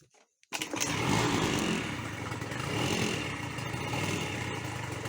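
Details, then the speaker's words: Honda Dio two-stroke scooter after repair: the cylinder had failed and the clogged exhaust pipe was replaced with a new one. It catches and settles into a busy, even buzz with no misfire or stumbling, and now holds revs well. "правильно зробили що поставили нову трубу і все хорошо працює"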